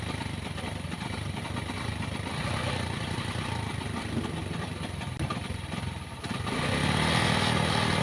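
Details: Pinoy 155 motorcycle, very hard to start, runs like a galloping horse: irregular, galloping idle beat with a clattery surge near the end; rough running, cause not yet found, air filter or air cleaner under the seat to be checked first.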